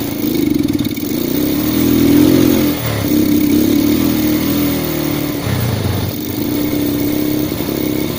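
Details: Yamaha Vega R fitted with a Vega ZR CDI, wired to the white wire from the spool: single-cylinder bike fires and runs with a steady mid-pitched putter, picking up briefly on throttle; running fine.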